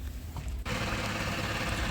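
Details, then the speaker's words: Maruti Suzuki Eeco gearbox while running; low hum turns into a loud, rough growl that lessens when the clutch is pressed; noise in all gears except third, so worn gearbox bearings rather than only the clutch release bearing. "अभी आपको यहां पर clear आवाज सुनाता हूं मैं जब clutch press करते हैं तो आवाज कम हो जाता है"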